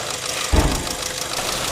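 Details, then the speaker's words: GM LSY petrol engine idling: rapid light clicking from the valvetrain, caused by a failed rocker arm roller bearing on cylinder 1; needs prompt repair or the camshaft will wear. "现在咱们听一下声音，哒哒哒哒哒哒哒哒哒。这种情况啊，咱们一个月修好多台，基本可以确认是摇臂。"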